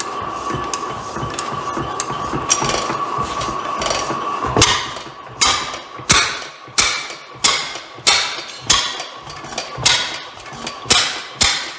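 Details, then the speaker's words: Rare old Bovard & Company engine restarting, believed two different engines combined, compression leaking at a valve: loud sharp bangs about every two-thirds second settling into rhythm, occasional harsher pop; owner suspects exhaust issue or backfire, unconfirmed. "well we have ignition um may have a little bit of an exhaust issue there did that backfire"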